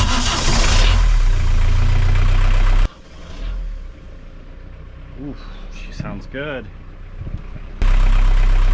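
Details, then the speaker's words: Sailboat dinghy outboard after cleaning out a badly clogged part, suspected cause of earlier rough running: fires with an even, steady beat, cuts out briefly, then picks back up smoothly; much smoother than before. "good it did not sound like that before I mean it definitely started and ran but it didn't sound so smooth and good"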